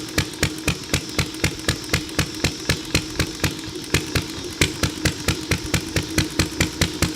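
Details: Ideal Model V throttle-fed upright engine, pull-started, with a carb sensitive to weather and mixture: crisp, evenly spaced firing beats about two per second over a steady background hum, running smoothly and healthy.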